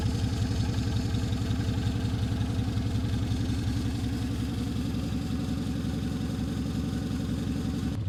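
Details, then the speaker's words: Restored classic Mini, first start in two years, choke fully out: loud, fast, even idle with steady rapid beat, slight valve clatter, no misses, run to circulate coolant and check leaks; normal cold idle on choke. "Just give ourselves a bit of choke all the way out, that'll do."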